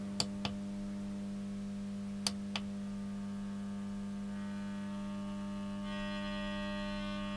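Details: JSI-1500TL 1650 W grid-tied solar inverter on the bench fed about 100 V DC from a variac: steady low electrical hum with a buzzier edge creeping in as load climbs; the inverter draws too much power, straining the variac.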